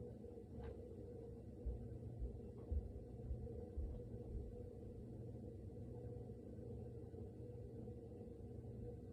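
Quiet, steady low rumble with a few soft knocks continues after the fridge goes silent; the source is unclear.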